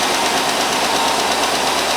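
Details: 2005 Chevrolet Tahoe crank-no-start after power steering pump job, MAF left unplugged, possibly flooded: catches and runs steady even hum, brief blue smoke, no misfire or knock; now running normally.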